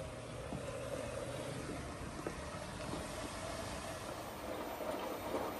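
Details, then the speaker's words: 11-year-old Kenmore Elite washer after an E58 error repair, on a quick wash test; it previously shut off after about 18 minutes. Steady low rumble with a soft hiss and no cut-out; normal wash cycle. "let's do a quick wash here run it test it out still working yes sir yes sir definitely it's working"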